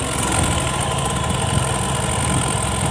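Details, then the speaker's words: Honda Beat Street scooter (2017–2019) test-started after the throttle body was cleaned and the CVT serviced, before the sticky, rusted throttle grip was fixed. An even, settled idle with no misses or ticking; normal idle. "Oke, normal, Guys, ya. Oke, mantap."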